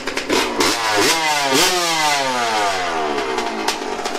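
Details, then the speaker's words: Yamaha YZ125 two-stroke after carb adjustment, restarted with one kick: crisp blips that climb and fall cleanly with each throttle snap, no bogging or misfire, running right. "how she's supposed to sound [Music] [Music] wow she sounds good"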